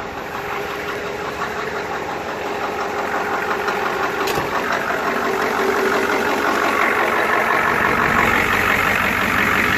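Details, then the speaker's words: Rebuilt 7.3 International IDI turbo diesel in Ford F350 with aftermarket downpipe, started after glow plugs warmed, loud lift pump audible from cabin: steady diesel clatter, even beat about three per second, rising hiss; normal idle. "you guys will hear the lift pump I'm pretty sure my truck wasn't a standard to begin with so you can start it the lift pump gets pretty loud from the cabin"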